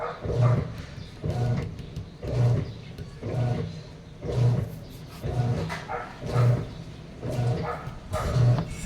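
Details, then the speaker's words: Sharp automatic top-load washing machine, reported as not draining or filling, tested before repair: motor groans in regular swishes about once a second for minutes with no water inflow. "hindi siya nagkakarga ng water ikot lang siya ng ikot ng ganyan nababawasan yung oras niya"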